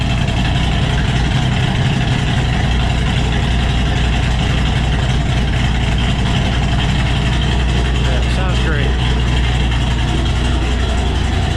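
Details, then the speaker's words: Cammed Ford GT500 after the tuner fixed its cold-start idle problem: loud, lumpy V8 idle with an uneven chop at about 220 a minute, steady throughout, air-fuel ratios happier; normal cammed idle. "everything seems very happy like air fuel ratios in this tune are much happier and everything else"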